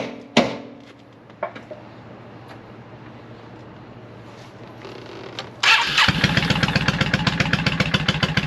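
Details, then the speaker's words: 2002 Yamaha V-Star 650 V-twin, after a Barnett Kevlar clutch and spring kit and a swapped-in Honda battery, no oil filter fitted yet: loud uneven chugging about four beats a second that never catches. It cranks but will not start. "he's right it didn't start"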